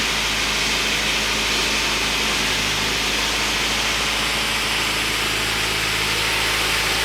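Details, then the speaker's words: Rebuilt Honda CR-V at idle after refilling low power steering fluid; steady smooth idle with even hiss, no whine or groan from the pump; normal power steering pump at idle, nice and quiet. "Alright, I think we're in business, guys. Sounds nice and quiet."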